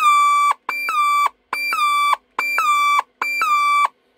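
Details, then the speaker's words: Casio DH-100 MIDI horn: five short notes each carrying a harsh, steady squeal, caused by the failed 33uF SMD electrolytic capacitor C39. "i'm going to say the majority of them eventually have this problem it's just one single capacitor that goes bad and this is what"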